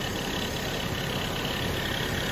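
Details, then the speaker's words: 1980 Mercury Bobcat idling with its Ford power steering pump, after replacing incorrect thin power steering fluid and adding Lucas Oil additive; it whined before, mainly when turning while stationary: now an even smooth hum, no whine; pump quiet. "I didn't get video of this thing running this morning, but when Barry fired it up, it was, you know, Ford Pump 101. And now she shut up quite a bit."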